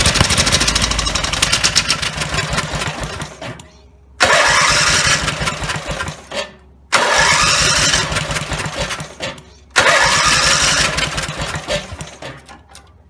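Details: Rebuilt Briggs & Stratton 17 HP engine (carb rebuilt, plugs, sump, valves, gaskets done): catches and runs loud only at full throttle, then fades and dies within seconds, four times; won't idle at low throttle, owner suspects misplaced throttle linkage lever.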